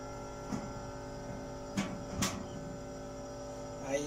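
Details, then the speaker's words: Maytag washing machine motor tested with belt removed: only a low steady electrical hum, no spin-up; motor won't start even when turned by hand, bushings seized, motor needs replacing or repair. "no arranca tengo que hacerlo manualmente por el terno aquí no despega el motor hay que cambiar el motor hay que conseguir el motor de esta máquina porque ella está pegado aquí también le bujes o llevarlo arreglar"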